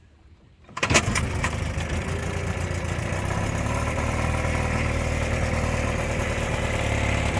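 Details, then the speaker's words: 1957/58 Mercury Mark 10 outboard that sat 45 years, warming up after the low-speed screw was backed out half a turn; pumping water well, high speed not yet adjusted. Uneven burbling idle with stumbles and spits. Rough idle, sputtering. "You see here too, it's pumping pretty good water. Kind of spitting and sputtering some, but hopefully once I get that high speed adjusted, it'll be better."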